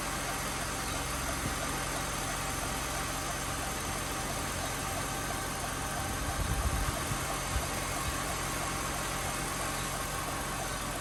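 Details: Mercedes W204 after replacing the accessory belt tensioner (rollers and belt previously replaced without curing a long-standing alternator belt squeak): steady even idle with no chirp or squeal; belt drive now quiet.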